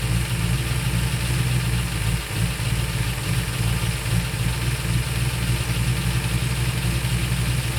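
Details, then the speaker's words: Ford Torino GT 390 FE V8 after distributor plate install: fast, steady idle that won't drop even with the idle screw all the way out, and vacuum present at the timed spark port. Owner suspects the accelerator pedal is holding the throttle open. High idle. "I take the screw all the way out doesn't get any slower and it's already pulling back in none of that makes sense"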